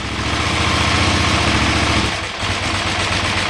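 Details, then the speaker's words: 2008 KTM 990 Adventure, in neutral after reconnecting the neutral/second/third gear switch: a lumpy, slow idle sags, then evens out and creeps back up toward 1450 rpm. Low idle slowly recovering. "Now, slowly the idle RPMs will pick back up to 1450."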